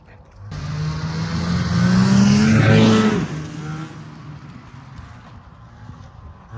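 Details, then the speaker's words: Polaris Cobra 440 two-stroke snowmobile, a free revival after a spark plug change: it revs up crisply, holds a high buzzing tone and drops back smoothly to an even idle while smoking; runs and sounds good. "oh well got her running smoking machine here runs good sounds good"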